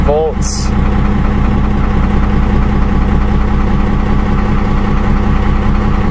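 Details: Dodge Ram 12-valve Cummins diesel, cold start at about 36°F after the glow plug light went out, with a 7s 2.5V/2600F ultracapacitor pack wired in parallel to the batteries: a very short crank catches almost instantly, then settles to a steady, even idle, a healthy quick start.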